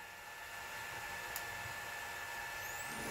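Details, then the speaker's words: Chinese knife maker's belt grinder after new wires were fitted, seven months after the inverter exploded: the motor and fan give a faint, steady mid-pitched whir with a slight rising sweep at the end, running smoothly and normally. "fans running sounds good now if everything runs right this should uh work"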